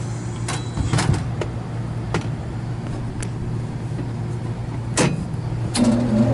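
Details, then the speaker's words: Newly installed Lennox KGB furnace after replacing blower wheel with a flat spot, wired on high speed: smooth steady low hum, no wobble thump or vibration, few stray clicks; normal blower operation after repair. "Normal wobble. Nice and quiet. Very little deflection in the lower wheel. Perfect."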